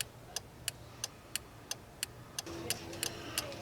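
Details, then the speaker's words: 2000 Jeep Cherokee with the ignition on and a new flasher relay fitted: crisp, even turn-signal ticks of about ninety a minute over a quiet idle, still flashing after two minutes; the flasher now cycles normally. "Alright, so 2 minutes later, it's still flashing. So I'm going to call this one fixed."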